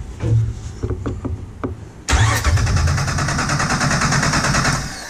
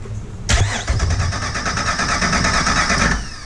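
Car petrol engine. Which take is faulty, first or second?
second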